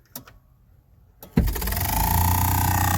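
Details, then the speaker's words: 1992 Chevy Silverado C1500, after reinstalling the blower motor: blower spins to a steady low hum with a fast scraping beat about four a second; wheel rubbing housing, cured by loosening the bolts so the motor seats properly. "hitting something. might be hitting something."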